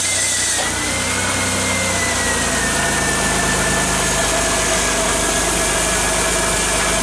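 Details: Car idling after cornstarch (maize flour) was applied to the pulleys of a belt that squealed from getting wet: a steady, even engine hum with no squeal from the belt area. Normal idle, the squeal is gone.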